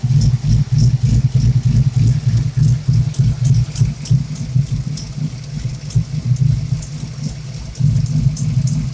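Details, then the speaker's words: Engine with shop-installed Steeda oil-air separator, owner suspects blow-by and exhaust leaks both sides: with mass airflow sensor unplugged, idle surges and stumbles, rough and not steady. "not steady anymore it's a little bit rough [Music] not running that good [Music] now [Music]"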